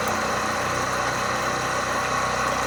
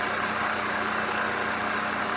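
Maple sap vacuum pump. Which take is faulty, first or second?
first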